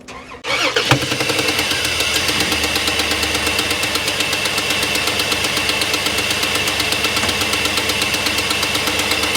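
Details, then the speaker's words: 3.7 Dodge Dakota towed in, still warm from tow, shortly after recent shop work: engine cranks, catches, then runs rough, misfiring badly on at least one cylinder and popping through the intake about 2–3 times a second; cause unknown. "hear that we're misfiring real bad on at least one cylinders one whoa one one cylinder and it's popping through the intake"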